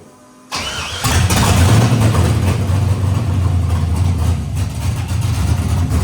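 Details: LS V8-swapped Nissan D21 Hardbody, first start on open headers with no exhaust or cooling hooked up: a brief crank catches within half a second into a loud, lumpy cammed idle. Quick start.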